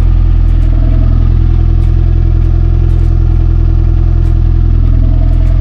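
Engine catches and settles into an even, fast pulsing idle around three beats a second, no misfire or knock; sounds healthy.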